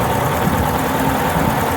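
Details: Yamaha Fazer 250 single idling with a fast, light ticking over the exhaust note, heard before the cam chain tensioner is removed and repaired; typical of a failed cam chain tensioner letting the chain slap.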